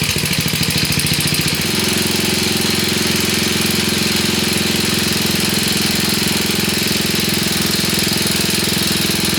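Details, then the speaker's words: 1966 Sears Custom lawn tractor, first start, with choke: single-cylinder chug settling into a loping, uneven idle; idle needs adjusting, owner unsure what is burning off, possibly a holed block. "All right, we need to adjust the idle a little bit more. I'm not sure what's burning off."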